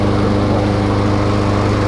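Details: New Troy-Bilt TB200 21-inch self-propelled mower with a 140cc Briggs & Stratton 550e engine, just after its first start: running steady at full speed with even, rapid firing and no misses, knocks or surging.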